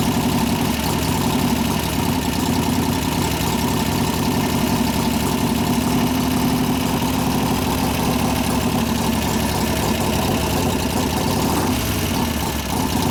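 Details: 1988 Harley FXR V-twin after lifter-noise repair (pushrod adjustment, cam change); loping even idle holding steady, no top-end ticking; normal idle.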